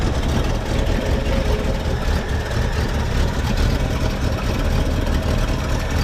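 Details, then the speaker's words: 1966 Ford Mustang coupe, 289 V8 with carburetor and C4 automatic, heard from inside the car: deep, even rumble idling slightly slow and lazy; idle set a little low, needs a small idle adjustment. "small idle adjustment should get it running the way it needs to be"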